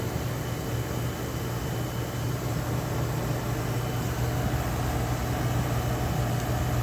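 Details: Restored Oasis dehumidifier with Tecumseh reciprocating compressor: low, steady compressor hum with even fan hiss, no rubbing or rattling since fan-rubbing tape was dealt with; runs smooth and healthy.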